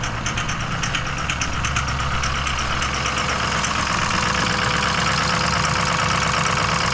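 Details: Ford Powerstroke diesel just reassembled, while driving under turbo boost: rapid, uneven knocking about three per second over the running note; internal engine knocking, cause not yet found.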